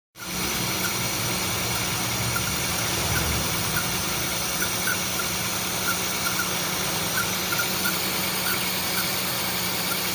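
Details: Honda City i-DSI idling with a faintly uneven beat and scattered light ticks: engine misfire at idle, with white smoke.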